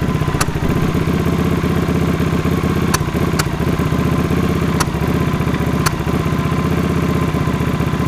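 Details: Honda CX500 scrambler V-twin idling with an uneven lope and an occasional cough on the right cylinder; carbs suspected out of vacuum sync and valve clearances likely out of spec, not yet confirmed.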